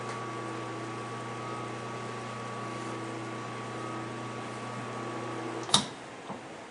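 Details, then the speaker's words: LG clothes dryer motor removed and rewired on the bench to a power cord, with only the brown and white wires kept: a steady, even electric hum, then a click at switch-off. The motor runs normally. "now you can connect the power cord to the wall outlet or to an extension cord and when you turn it on the motor should run"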